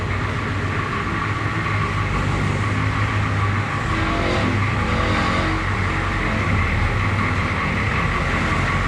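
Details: International S1654 truck after oil cooler rebuild, new starter and new radiator, test run with the radiator cap left loose to purge air. Steady, even drone under load with a deep, constant rumble and no knocks or squeals: normal running.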